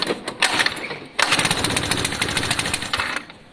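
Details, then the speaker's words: Lexmoto FMX 125cc motorcycle, after fuel suction lines were checked: ragged, choppy popping bursts that build only when the throttle is snapped wide open, then fade. The engine responds only at wide open throttle; the exhaust is suspected, not confirmed. "See, that's wide open throttle. That's all it's responding to. Wide open throttle."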